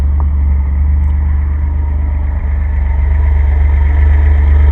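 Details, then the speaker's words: Jeff Ward conversion engine idling, 5-speed idle speed considered fine though owner's automatic may need about 1,000–1,100 rpm: deep even idle, steady low thrum, no misses or knocks, vacuum tight; runs fine, idle slightly low. "Well, there she blows. Vacuum tight, runs fine."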